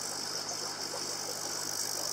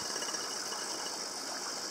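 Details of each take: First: TetraTec aquarium air pump after silencing fix against rattling on walls and furniture: soft, steady air hiss over a very faint low hum, much quieter than before. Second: Tetra Tec aquarium air pump: soft fast buzzing rattle under steady airy hiss, pump vibrating against glass when turned to one side; otherwise much quieter after the silencing trick.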